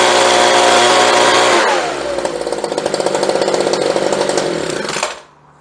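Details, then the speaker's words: Homelite leaf blower after carburetor and fuel line replacement, choked and primed: crisp high-revving two-stroke drone drops cleanly to a steady popping idle, then shuts off; runs strong and even, healthy. "And that sounds real nice too. It's got that little pop to it that you get."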